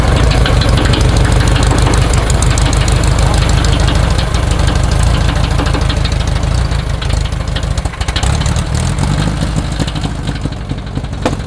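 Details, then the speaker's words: VW air-cooled engine in a custom tracked trike at idle: uneven knock about three per second over a low rumble; suspected engine internal, bell housing rattle or transmission issue; cause unconfirmed. "oh wait a sec hold on wait sounds like engine internal"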